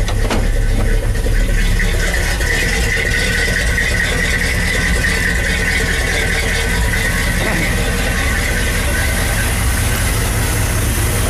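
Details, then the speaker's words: Chevy plow truck, carbureted 350 V8, stock manifold, no headers, not run since noon the previous day: steady even idle after morning start, smooth low rumble with no knocks or misses; normal idle. "let's see if she'll start this morning whole carburated motor love that"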